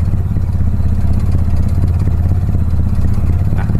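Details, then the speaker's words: Warm Mitsubishi Lancer CK4 with a damaged air flow sensor, started without throttle: engine lumps along at a very low, uneven idle close to stalling. "यह शुरू करना चाहता है लेकिन आरपीएम है बहुत कम।"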